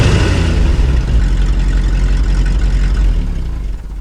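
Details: 1968 Ford F600 feed truck V8 started for first time this year after throttle cable set; deep even burble at steady low idle, no misses or knocks, though its carburetor has a gas leak.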